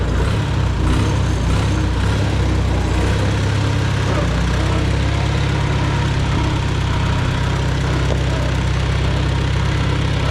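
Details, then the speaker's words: Farmall Super A antique tractor after tightening a loose spark plug, about to be driven slowly in second gear: low steady four-cylinder thumping, even firing, no skips; running a lot better, normal running. "Running a lot better. Running a lot better since I tightened up that spark plug."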